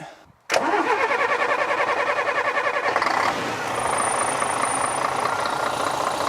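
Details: Bus restarted after an oil change and reseating a crooked filter cover that had caused an air hiss: starter cranks briefly, engine catches cleanly and settles into a steady, even idle with no misses or odd noises.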